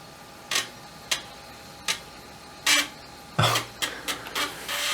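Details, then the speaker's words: Amiga 1200 floppy drive whose seized motor was freed, with the head moved off track one before power-up: sharp clicks, then a quick rattling run of steps as the computer returns the head to track zero; seeks normally. "first thing it should do is try to move it back to track one because it'll sense it's not in the tracking position"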